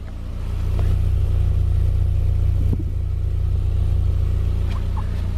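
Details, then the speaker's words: 2010 Subaru Impreza after installing Magnaflow 11366 performance muffler, new pipe and flanges in place of restrictive stock muffler: deep smooth exhaust rumble rising with revs, no rattles or misses; healthy exhaust note. "sound - too bad a lot better stock so I don't think contour can complain so yeah I mean it's a lot better than that freaking big blob"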